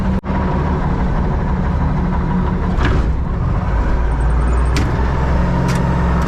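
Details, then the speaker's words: Diesel loader running after hydraulic hose reconnected and oil refilled, wheel turned back and forth to bleed air from hydraulics: steady, deep drone at even speed, no knocks or whine; running smoothly, repair done. "All back together, running. Been running for a minute."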